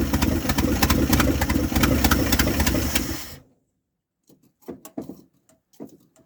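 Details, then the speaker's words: 1978 Dodge D100 after a fuel pump swap, carburetor bowls hand-filled, possibly stuck floats: engine loafs slow and uneven at about 3.5 beats per second, then cuts out, a very low rough idle; owner suspects mixture. "It's idling very very low. Let's see if it's probably the mixture, too."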